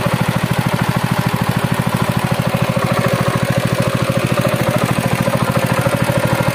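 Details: Honda GX200 thresher engine after cylinder head gasket replacement for hard starting and low compression on pull: steady even single-cylinder putter, no misses; normal running.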